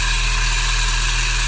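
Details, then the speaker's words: Peugeot 306 Meridian 1.6 8v TU FWD at idle after an exhaust clamp fix stopped the exhaust blowing: a steady whirring hum over the engine, likely the real noise source, suspected power steering pump, not confirmed. "wow that's not noisy not i can see well it seems better but actually turns out that that's the most noisy thing here"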